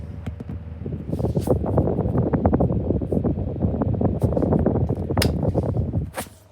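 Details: 2016 Argos 7-inch desk fan running: irregular rapid clicking and rattling over a low throbbing hum; worn motor bearings, worse than before.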